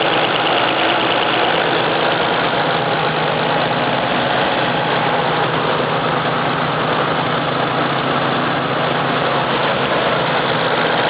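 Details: 1993 Nissan 300ZX, non-turbo VG30DE V6, about 120k miles, idling: a faint, quick, even tick over the engine hum, rising with revs; owner suspects a lifter tick, unconfirmed.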